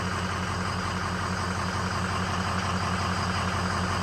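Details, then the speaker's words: 2003 Ford 6.0L diesel after replacing two failed injector O-ring seals that caused no-start: steady even idle with low rumble, no misfire, knock or stumble; running healthy after repair. "Truck is running, as you can hear, and these are the two seals that failed on it."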